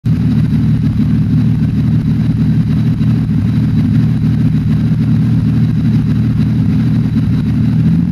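Engine running at a steady idle with a low, uneven lope and an irregular stumble about three times a second, consistent with a misfire. Cause suspected, not confirmed.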